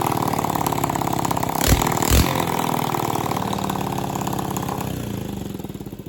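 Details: Honda CT200 Trail 90 single-cylinder after stator, rotor and spark advancer rebuild and flooding carburetor fixed (holed float replaced): settles into an even, steady putter after handling clunks, no misfire or knock. Normal running.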